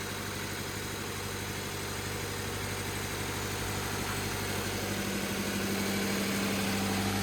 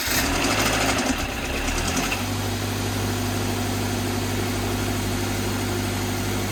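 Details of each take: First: 2013 Scion FR-S boxer engine at its first start after a new/reman short block replaced a rod-knocking engine, primed first. It idles smoothly with no knock; an earlier small knock was probably the timing chain lacking oil pressure. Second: 2013 Scion FR-S with new/reman short block replacing a rod-knocking engine, primed and cranked with fuel pump disconnected, official first start: rough clattery seconds then smooth idle; brief knock believed to be timing chain lacking oil pressure.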